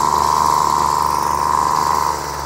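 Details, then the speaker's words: Aging Flymo Maxi Trim two-stroke pull-start strimmer with a known choke problem, started on full choke with an empty carb during the carburettor repair: steady high buzz, slightly lumpy and burbling; changing compression stroke shows too much fuel, running rich. "you can tell by the changing the compression stroke there that we've got too much fuel going in"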